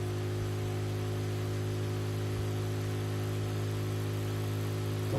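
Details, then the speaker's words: Projector exhaust cooling fan on bench at 12 volts droning loudly and steadily at full speed, before lowering voltage with a buck converter for noise reduction. "pouvez le constater ça fait du bruit"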